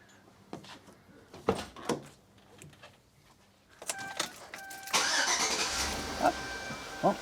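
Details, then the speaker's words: Chevrolet Tahoe V8 after dual-battery upgrade: short brisk crank, fires quickly to steady idle, cranks faster than usual; about 14 V charging afterward. "definitely cranked faster than it normally does."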